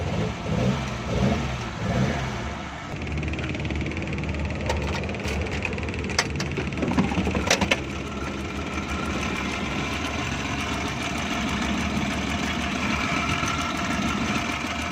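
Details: 2012 Suzuki Bolan misfiring on both CNG and petrol, engine idling and lightly revved: the idle stumbles with dropped beats and faint snapping ticks as current leaks from a short somewhere.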